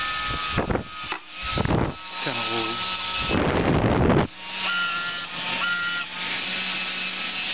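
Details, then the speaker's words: Salvaged hair-dryer motor and fan from a dead dryer, powered through a 12 V car lighter cord for stoking a fire: a steady low hum with a thin whine under handling noise, even and unbroken. Finding: normal running. "You could probably use this to stoke a campfire or something. It does work very well."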